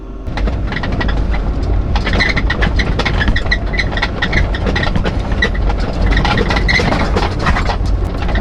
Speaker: That's just terrible. That's what my rooftop sounds like. And it's just not on the trail. It's terrible. Driving it just squeaks a lot.